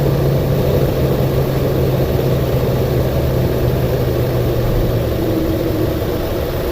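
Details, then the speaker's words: 2009 Toyota Tundra 5.7L V8 idling with codes P0300, P0305 and P0307, VSC off, lights flashing, and misfire counts climbing fast; low, heavy lumpy idle under a steady drone, a misfire with its cause not yet found. "these misfires are counting up like crazy so let's see if we can do this let's pop the hood"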